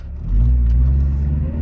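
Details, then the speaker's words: 2003 Honda CR-V after replacing motor mounts with new mounts reinforced with 3M window weld, accelerating from a complete stop: steady, even low rumble with no clunks or jolts; smooth acceleration, mounts holding firm. "Ooh, that is very smooth. I like it."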